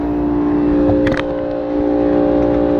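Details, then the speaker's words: Rooftop AC unit: compressor drones strained and noisy, no condensate from drain, burnt contactor, compressor and evaporator coil iced because the blower motor won't start; air not warm; low pressure switch didn't trip. "You open this thing up and see why this thing sounds like crap. Doesn't sound good at all here. Air doesn't even feel that warm coming off. Oop. Okay. Got a frozen unit again."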